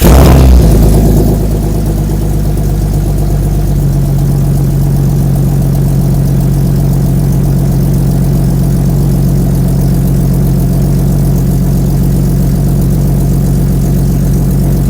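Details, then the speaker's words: Jeep Cherokee chassis (about 2000) under a 1965 AMC Rambler body with Magnaflow exhaust, recorded at the exhaust tip: a steady, deep, even burble with no misses; good oil pressure; normal idle. "set you guys up by the exhaust and let you hear the beautiful notes of the Magna flow exhaust and the old borderla tip I"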